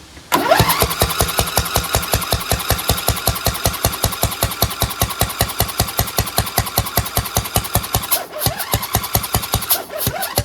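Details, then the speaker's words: Craftsman DLT2000 lawn tractor with suspected water in the fuel, cranked on ether: fast starter chuffing with near-firings but no start. Spark is present; fumes from the gasket suggest a blown head gasket on the right side. "That almost ignited, which means that it is getting spark, okay? But when I almost ignited it, I saw fumes coming out of the gasket area."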